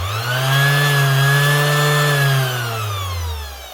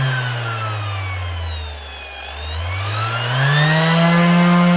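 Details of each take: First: 2021 Makita BO6030 velcro sander brought in for running slow: motor whines up to speed, then wavers and sags in a spluttering, hunting surge. The speed controller is suspected; a bearing was also considered. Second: Makita BO6030 Velcro sander from 2021, after the speed controller was replaced: the motor hum sags, then climbs smoothly to a high, steady whine and holds there; running normally at full speed.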